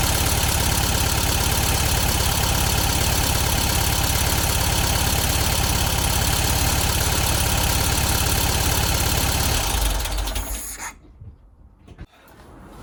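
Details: 1972 VW Beetle 1200 after valve clearance adjustment and plug change, running on four cylinders; lumpy idle with steady light tick about three per second before stalling, packety valve tapping, owner suspects valves set too loose.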